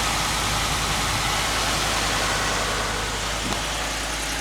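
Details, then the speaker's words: 2015 Ford F-150 4x4 bought damaged from a salvage auction, started up: steady, even V8 idle with smooth low rumble, no rattles or knocks; normal idle. "doesn't just picked up this 2015 4 wheel drive five old truck hey speaking see it for the crank go ahead oh yeah sounds good no rattle"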